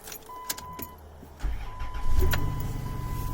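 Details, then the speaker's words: Dodge Caravan at about 212,000 km (125,000 miles), started from the driver's seat: short crank, then it fires promptly into a quiet, steady idle; healthy start. "ever heard anything so start so nice now listen quiet runs nice doesn't it"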